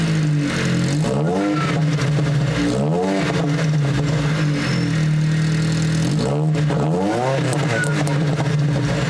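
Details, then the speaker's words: 2003 Ford Focus SVT ST170 with gutted cat and lunchbox delete, after MAF and air filter cleaning: loud repeated throttle blips with a crackly burble on each return to idle. A normal exhaust burble, with fewer backfires than before. "Don't make me wrong, I mean, it still has a little bit of a burble to it. A lot more than a lot of other cars, but yeah, kind of missed the backfires and shit."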